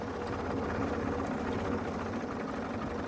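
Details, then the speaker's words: Late-1955 original Farmall Super MTA diesel tractor, same engine as TD6 dozer, brought down from full throttle to about 350–400 rpm: slow, even idle with soft steady chuff, percolating like a sewing machine, no knocks or rattles; normal idle. "This engine just has a beautiful sound idling. It just percolates like a sewing machine, as an old friend of mine used to say."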